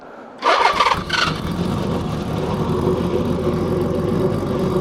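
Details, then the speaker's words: Kawasaki KZ1300 inline six-cylinder motorcycle, older bike, cold start: short crank, then catches and settles into a smooth, even idle with no knocks; normal cold start. "그래도 연식이 있으니까 시간을 좀 많이 줘야 됩니다. 여유를 가질 줄 알아야 돼요. 그저 호흡을 듣고 있는 거예요, 여러분들은. 아무것도 아니야. 그냥 시동만 켠 것 뿐이야. 6기통입니다."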